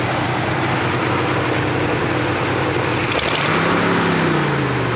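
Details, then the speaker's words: 1967 Buick Riviera V8 at idle after a drive on a very hot day, temperature gauge mid-range: steady loud whooshing fan roar over smooth idle; normal cooling fan roar on a hot engine. "Temperature is right where it should be, provided that gauge works properly, and I know it starts at cold and goes up to hot. Or in the middle, rather, is what I meant to say. That fan is roaring there."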